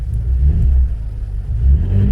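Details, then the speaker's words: Engine idling after installing Dinan coils and fresh spark plugs, noticeably smoother with a deep even rumble and no stumble or ticking; owner still suspects fuel injectors need replacing. "crank up watch how smooth she run look at that this still pops up because that's the last thing that was in the computer but you can definitely hear the difference of the way the engine running"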